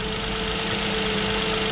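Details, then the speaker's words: 2007 Nissan Murano 3.5L V6 after replacing the faulty cylinder 3 ignition coil: smooth, steady idle with even hum, no stumble; previously ran on five cylinders, misfire now gone, normal idle. "okay guys so it's all done deputy don't feel miss bar anymore before I was running on only five cylinders instead of six"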